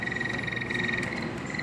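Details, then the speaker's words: Old split AC indoor unit running: rapid croaking buzz over a steady high tone; loose gapped cover panel chattering, stops when pressed and fixed with tape; otherwise assembly beside the motor may need replacing. "जब ऐसे पुराना हो जाता है तो इसके part इसके cover थोड़ा ढीले हो जाते हैं जिसके वजह से प्रॉब्लम होता है"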